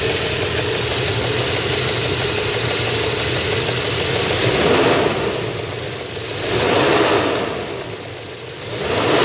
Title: MB 500CL 119 Engine - Timing Chain Noise Vid 1